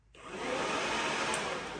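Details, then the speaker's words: 2018 Yamaha YFZ450R radiator fan run from a newly installed manual fan switch that works with the key on or off: the fan spins up over a quarter second into a steady, even rushing whir with no rubbing or ticking; running normally. "Before we dive in here, I'll show you that this setup works. Doing it this way will work with the key on. Or with the key"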